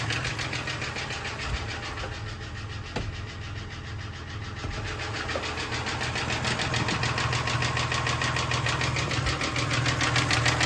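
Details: 1996 Toyota Tacoma 3.4 5VZ-FE at low idle: deep, steady knock about three times a second following engine speed, with very low oil pressure; rod knock.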